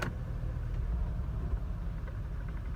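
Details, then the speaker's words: Mercedes W124 idling in reverse with new coils, NGK boots and Beck Arnley wires: a low, lumpy idle with uneven shaking. Finding: rough idle caused by a faulty engine wiring harness. "You can hear the shaking."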